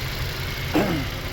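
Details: 2022 Toyota Corolla after new original Toyota alternator and tightened battery terminals, charging at about 14 volts and 10 amps: low steady idle hum, even rhythm, no knocks or belt squeal; healthy smooth idle.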